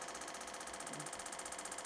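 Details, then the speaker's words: Spoolie Boi open-loop 6-stage boost controller in boost-by-input mode, boost solenoid given boost and stepped up through stages: rapid, even clicking, about a dozen pulses a second, pattern audibly changing; normal solenoid pulsing. "We're going to give it some boost. This way you can hear it audibly changed."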